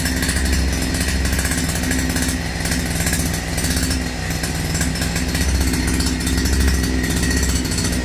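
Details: Russian URAL MASH 5.7 hp brush cutter, new, during first run and break-in: two-stroke buzzes evenly at steady high revs, no misfires, surging or rattles; normal running.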